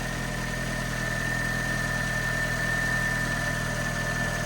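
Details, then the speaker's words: Car with 64,000 miles at idle: engine ticks over smoothly but a loud thin high scratching whine rides on top, only on startup; owner suspects starter motor or alternator, not the engine. "it sounds like a serious scratching noise from something um but yeah I've got it can't be just that it can't be just that noise because that that is ticking over lovely like that engine"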